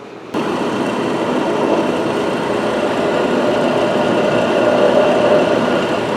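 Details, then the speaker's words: Big bandsaw after reinstalling and tightening both set screws that had backed out: steady, even whir with no knocks, rattles or ticking; now running totally quiet. "both of the set screws in this thing that one and that one both backed out for some reason then reinstall it and maybe I just didn't tighten it tighten up"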